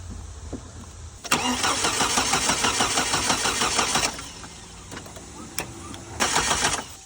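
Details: Hummer H3 with multiple issues, after adding gasoline: starter grinds in a steady rhythm for about three seconds, then a short second try, with no catch or firing; cranks but won't start.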